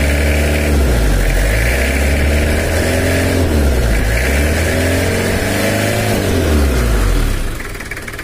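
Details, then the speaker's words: Toyota Kijang LGX diesel at idle: a hollow, drum-like "dug dug" thud about four times a second over the idle; coolant keeps dropping and there is an oil leak, with cylinder head service and valve adjustment planned. "karena juga ada suara seperti kendang dung dung dung dung gitu"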